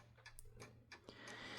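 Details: Junghans German mantle clock that had stopped running and jammed when striking, after partial disassembly, cleaning of dried-up oil and re-oiling: crisp, even ticks about three per second with quiet hum; movement running cleanly.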